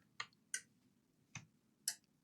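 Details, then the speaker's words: Toshiba PRO C50 laptop with a not-charging fault, powered from a 19 V bench supply: relay-like clicks every half second or so as the supply trips its limit of just over 3 A and drops to 30 mA; not a charging port issue. "I mean, it's going into the limit because the limit is like a little bit over 3 amps. It's dropping to 30 milliamps."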